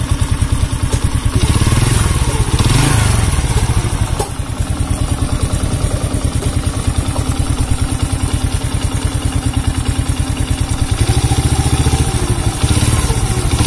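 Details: Honda C100 single-cylinder idling with a rough-sounding engine and weak pull: uneven clattery thump, irregular rattly firing; sounds like cam chain noise but source not confirmed, clutch and cam chain being inspected.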